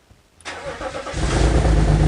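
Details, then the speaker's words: BMW X3 E83 with the M54 engine, first start after a head gasket replacement: the engine catches and settles into a loud, raspy, booming idle because the exhaust manifold-to-exhaust bolts were left untightened; exhaust leak at the manifold joint. "So you want to know why it was so loud just now? I forgot to tighten the exhaust manifold bolts. You know, where it bolts to the rest of the exhaust."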